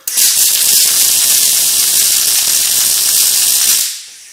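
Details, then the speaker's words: Riland MIG 2000T welder with 32-gauge wire after turning the wire speed down: steady, even frying sizzle with no pops, so the arc sounds right. The percentage setting still isn't taking effect and penetration remains poor. "okay that sounds about right but the problem we have is this percentage is not kicking in like we want it"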